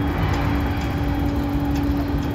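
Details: Japanese train car MoHa E232-3011 interior air conditioning unit fault: steady whirring hum with tonal drone over rail rumble and faint ticking; abnormal AC noise, cause unknown.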